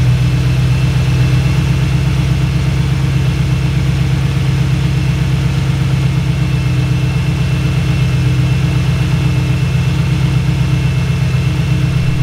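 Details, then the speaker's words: BMW E38 740iL M62B44TU V8 started after a timing chain replacement: smooth, steady idle burble with no shake, misfire or ticking. The engine runs normally. "this is normal right now the engine runs smooth in my opinion"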